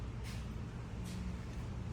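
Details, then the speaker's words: 2018 Jeep Sahara rear differential removed, carrier turned slowly by hand on bench: gritty rough grind with scraping surges, metal glitter throughout; customer reported grinding/roaring from rear; pinion, carrier and wheel bearings destroyed. "This thing looks horrible, doesn't it, Ray? You can actually see all the metal on there. It sounds horrible. That's bad."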